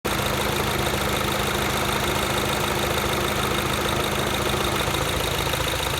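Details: Mini Cooper S R56 at idle after replacing the vacuum pump, timing chain tensioner (updated part number) and valve cover: fast, faint ticking clatter over the engine hum; owner asks whether this is normal, cause unknown.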